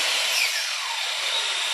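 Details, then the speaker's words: Two saws running simultaneously off a solar off-grid battery bank; steady high whir at even pitch, no bogging or stalling; both running normally. "Right now, John and I were testing to see if we have both saws running at the same time. So here goes this guy. Here's running right now. Both of them are running fine."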